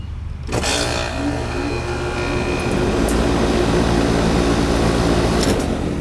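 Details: Old AC outdoor unit with a hard start kit fitted: half a second of quiet, then the compressor kicks on clean and settles into a steady hum with fan whoosh; normal start.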